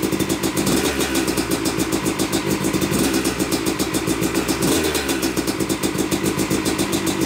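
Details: Yamaha YZ250 two-stroke motocross bike (270cc/250cc) on first start after year-long full engine rebuild (bottom end, transmission, bearings, clutch, power valve); took a few kicks, heavy smoke from oil-coated parts; crisp ringing crackle picking up cleanly on blips; normal.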